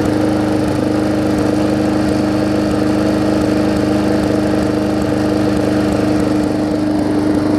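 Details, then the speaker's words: Briggs & Stratton Classic engine swapped onto a Hyper Tough deck with the gas tank from a Weed Eater 22" mower: even, steady drone with a regular low beat, no hunting or misfires; runs smoother than the old engine. "it runs better than the old see if they continued workforce it's not really got great many a whole lot less more runs as smoother as she gets"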